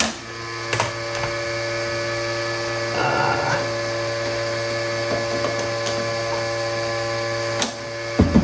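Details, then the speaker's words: RCA SJT 400 CED player at first power-on: steady electric buzz with a stuck droning whine and odd knocks, no clean cycling; loading mechanism jammed. "they didn't describe that in the video of the listing um it's definitely jammed there might be something jammed in there"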